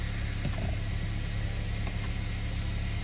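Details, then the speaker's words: Car idling after a dead battery was jump-started with a Lasfit portable jump starter, left running about 15 minutes so the alternator recharges the battery; low, steady, even idle hum with no knocking or squealing, normal idle. "now we can just leave the car running for about 15 minutes you can also drive around"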